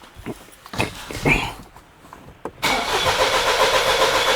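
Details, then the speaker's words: 2020 Ford Escape with codes P0087 and P0193: scattered long cranking over two seconds before it catches and idles; hard start caused by a high-pressure injector leaking internally. "as you can see, it takes a long to crank. Long time to crank."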